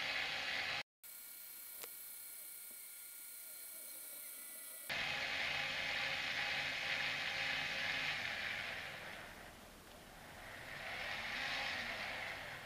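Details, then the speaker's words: Sky-Watcher AZ-GTi mount after full strip-down with fresh Superlube grease, Dec axis turned 360° with clutches locked: steady high motor whir, even light gear tick about three per second, no catching or binding; smooth axis slew. "I'm literally just going to turn that through 360 degrees to make sure there's no binding."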